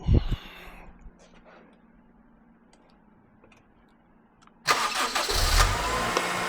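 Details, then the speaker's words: Right-hand-drive 2000 Honda Accord Euro R that wouldn't start, jumped directly at the starter: after a pause the starter spins briskly and the engine fires straight into a steady idle, showing the battery and starter are fine; normal cranking and start. "Well, battery's not bad. Starter is not bad."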